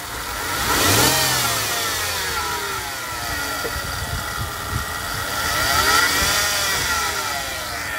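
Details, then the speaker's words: Mercedes-Benz ML350, engine running: clear whining tone rising and falling in pitch with each rev, noticed minor about six months ago and now worse; owner suspected the power steering pump; engine whine when revving. "as you can hear i don't know if you can hear like the whining noise i'll give it a rev"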